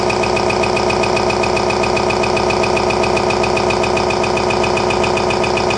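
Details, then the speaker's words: RCA SJT 400 CED videodisc player, newly unboxed, trying to eject a disc: loud, fast, steady mechanical chatter about two or three times a second, like a slipping or stripped drive; owner suspects a seized loading motor, broken gear or broken loading-motor belt. "it's trying to eject it right now and our motors seized up or it's got a broken belt right here there's one problem at least needs a belt out so now i know what that noise is"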